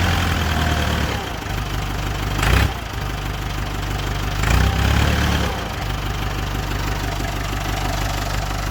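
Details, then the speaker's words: Massey Ferguson MF30 tractor diesel, restarted and refilled after running completely out of oil when the drain plug fell out: a low, steady chug with a couple of brief louder bumps but no knock or rattle, settling into an even idle; normal. "Still sounds good, so super blessing, super thankful right now."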